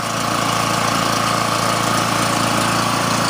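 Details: Generac GP 3250 generator after repair (new carb, gaskets, OHV gasket, fuel line, fuel shut-off valve, fuel system and tank cleaned, oil flushed three times); steady quiet drone at constant pitch through a big muffler, no misses or knocks, normal running.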